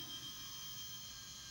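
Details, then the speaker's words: Toshiba T4500C laptop with a P30 error, power-up with hard drive hooked up: faint steady high-pitched whine with soft whirring and no clicks. Hard drive spins normally and the laptop has power, though the display is faulty. "But the computer has power now because the hard drive is turning on, and we have a on signal here and some strange faucet, whatever that is."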